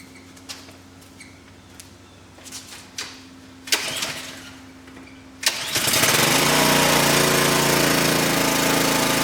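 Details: Ryobi gas pressure washer that would not start, after an easy fix, started with switch on, choke on and fuel on: a few pulls and clicks, then the small engine catches and settles into a steady, even putter; runs normally.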